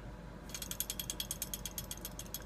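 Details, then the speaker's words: Closed-frame pellet stove exhaust blower with a bad press-fit motor bearing: fast, even metallic rattle about nine clicks a second over a low motor hum; replacing the whole blower is recommended if old with worn windings. "this has a a bad bearing in it that as you can hear here it rattles and it"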